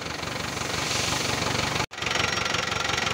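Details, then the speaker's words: Daihatsu Sigra just started after clearing misfire and starting-malfunction codes: uneven, lumpy idle with a ragged pulse about four times a second and harsh, breathy top end; very severe blow-by from a worn engine. "tapi mesinnya ini kayak gini. Ngobosnya pak, ini sudah terlalu parah ini pak."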